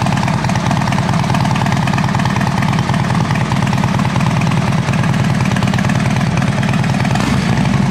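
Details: 2012 Harley-Davidson Dyna Switchback FLD just after new battery and oil service: even, thumping V-twin idle at a steady beat with no knocking or clatter; normal idle.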